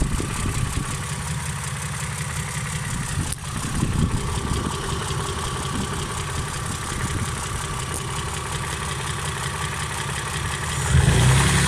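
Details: Engine idling with fast, uneven tapping running steadily over a low rumble that doesn't fade; a knock deep in the engine, owner suspects rod knock, not confirmed.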